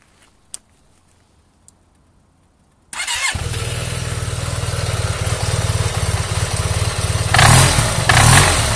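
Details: Yamaha TMAX scooter engine fires and idles with a rough, steady knocking under the exhaust, then revs; engine knock, cause unknown.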